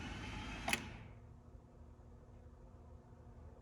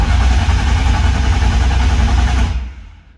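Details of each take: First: S54-swapped BMW E36, first start attempt: single sharp click then heavier clunk, no cranking; starter not engaging, bad starter solenoid. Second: BMW E36 with swapped S54 engine, cranking before first start with fuel pump fuse out, after fixing starter wiring; steady even churn about four beats a second, winding down cleanly; normal cranking, building oil pressure.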